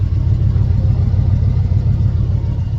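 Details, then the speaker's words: Small-block Chevy truck just after swapping an Edelbrock for a Holley carb, idle being adjusted by ear with no RPM gauge: deep, steady low rumble with an even beat and no misses or knocks; smooth normal idle, runs better than before. "messing with the RPM idle. It ain't got a RPM gauge, but it sounds pretty good, though."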